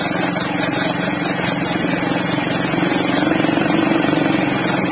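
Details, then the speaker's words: Automatic scooter CVT: rough, steady rumble with a coarse grinding edge; cause unconfirmed, suspected pulleys, final-drive bearing or wheel bearing; final-drive gear oil later found almost empty and milky white. "Nah, ini suaranya seperti ini. Yang rusak nanti dicek saja dulu. Mungkin di bagian puli-puli atau bisa jadi laker bagian gardan atau laker roda."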